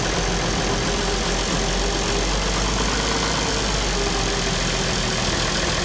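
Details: International 1066 diesel tractor idling right after an oil change; loud, steady diesel rumble with an even beat, no knocks or misses, idling normally.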